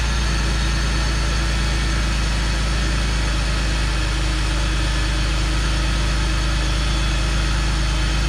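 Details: BMW E46 325ci after misfire from moisture in coil packs, dried and dielectric grease applied: engine runs a couple minutes at smooth, even idle with steady low hum, no misfire.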